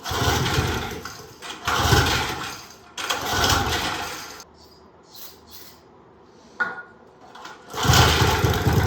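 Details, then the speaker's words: Old Briggs & Stratton 3.5 hp engine off a go-kart, sat outside 8+ years, no choke, cold and warming up: picks up in bursts then sags and claws back, won't come off idle; owner suspects fuel starvation from slanted tank. "Come on, buddy. Does not want to come off idle. I'll just let it warm up for a little bit."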